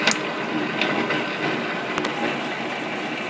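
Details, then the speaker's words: BV20 lathe with a newly added reversing idler gear on the banjo, set for 2 mm pitch, normal forward direction with the feed engaged: even, steady gear whir with a couple of light ticks and no knocking or grinding. "so it's just a little bit of a test run at speed round right down hit the Go button very exciting a normal for direction engage the feed"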